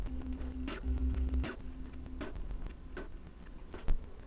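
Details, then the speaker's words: Bambu Lab A1 3D printer during first-power-on full-auto calibration with active motor noise cancelling: steady low stepper tones in short bursts with light clicks, growing quieter to mostly bearings on the rail; normal stepper motor operation. "I can hear that the motors are going quiet and quieter as it keeps doing that so they were much louder and now they're much quieter so it's literally canceling the motor sound mostly all you hear is like the bearings moving on the rail"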